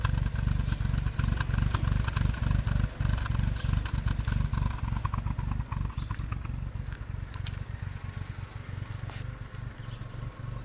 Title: Protege5 rough idle